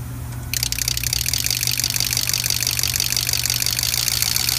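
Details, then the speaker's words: Eight used test injectors driven by the truck's injector harness (possibly a Ford diesel with hard starting): steady, crisp rapid clicking about two ticks a second, even and healthy injector chatter, ruling out the harness logic side. "so we're gonna listen to how it shatters right now and then there you go all right listen to the chatter"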